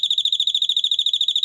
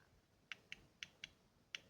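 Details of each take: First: 12 V doorbell: touching a smaller-value capacitor to it gives quick evenly spaced shrill chirps, about ten a second; melody rhythm changed. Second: Piezo buzzer from a 12 V doorbell whose board blew on 220 V, tested directly at about 3 V: irregular sharp crackles and clicks in uneven bursts; buzzer seems intact.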